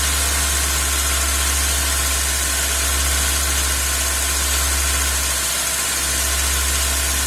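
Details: 2001 Hyundai Accent 1.3 L G4EA engine at idle, vacuum gauge on the purge valve hose: steady low drone that wavers and dips briefly, uneven firing; rough idle with no problems at cruising, cause still unknown.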